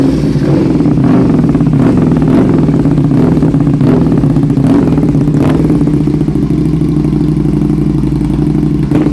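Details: 2006 Aprilia RSV1000R V-twin, 1,300 km after service, new plugs, crank sensor replaced, racing cables, vacuum lines checked; owner sees small spark at front cylinder: runs rough with irregular stumbles and clatter; misfire, cause unknown.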